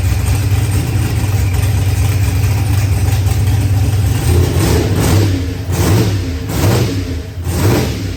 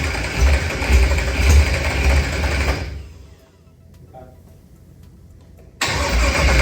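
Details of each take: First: Newly built Procharged LS engine with a 12-1 crank trigger wheel, just got running: even, steady low rumble at idle, then a few smooth throttle blips that rise and settle cleanly; running healthy. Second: Procharged LS stroker (Callies crank and rods, 12.5:1, ported 823 heads, BTR stage 4 V2 cam) with a 12-1 crank trigger: repeated cranking bursts with quiet gaps, never catching. Crank-trigger settings were wrong while the pickup setting was varied from six to four.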